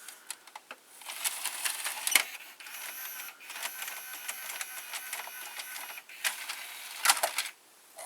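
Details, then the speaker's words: Panasonic SA-HT820V VCR/5-disc DVD changer combo, disc check function ejecting all five drawers at once: quick series of light clicks and whirring as drawers motor out in turn, smooth; normal drawer ejection. "The disc check function. Isn't that awesome? It ejects the 5 drawers at once."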